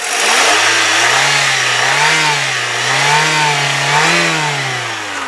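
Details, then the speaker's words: 2000 Daewoo Leganza CDX 16-valve four-cylinder revved under the hood: smooth rises and falls, clean even note, no high-rev knock, valvetrain noise or taps; runs like a 50,000-mile engine; normal revving. "you don't need to be a mechanic to know there was no High Rev knock there there's no valve train noise no Taps nothing this you know runs like it's got 50 000 miles on it"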